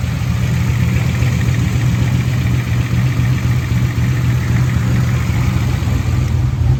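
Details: 1988 Chevrolet Camaro IROC-Z V8 idling on first start after new lifters replaced the old brand that would not stay pumped up; steady, even idle with a smooth low rumble and no top-end ticking.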